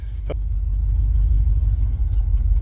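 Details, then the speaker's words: Ford 302 (1994 roller engine converted to carburetor, about 200,000 miles) with old Holley 390 CFM 4-barrel, after accelerator pump repair: deep rumble builds smoothly under throttle with no stumble or bog, much better. "Oh yeah, that's much better. Weird, a working accelerator pump actually makes a difference on a carb designed to have one."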